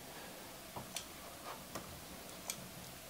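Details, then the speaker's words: 2.5-inch 5 TB external hard drive on the USB-A 3.0 port of a 13-in-1 USB-C hub: sharp, irregular clicking as the drive cannot spin up for lack of power. "i hear the heart is clicking a bit it's a two and a half hard disk not an ssd or something like this but apparently it's not getting enough power"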